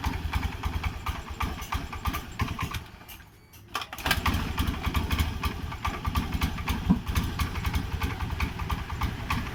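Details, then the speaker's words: Honda Beat scooter that a shop condemned to ECU and regulator replacement: it catches and idles with sharp irregular exhaust pops over the low putter, the exhaust backfiring now and then; injector pressure measured near 30. "ini kenalpotnya dia menutup meletup diaduk"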